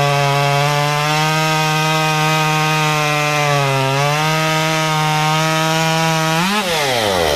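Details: Modified Stihl 193T climbing saw (muffler mod, ~8–9° timing advance, limiters removed, 93 non-E fuel, 16-inch bar, PS3 .050 full-chisel chain) cutting a log: high steady scream sags slightly as chain bites, holds through cut, winds down smoothly; healthy.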